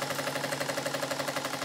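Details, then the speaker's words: Model steam engine on the bench, second steam test after fitting six 4BA bolts to the steam chest and soldering the exhaust fitting: sharp rattling machine-gun exhaust chuffs about ten per second; still rough but much improved. "still sounds like a machine gun but it's gone a long way from when this piston was fitted in it"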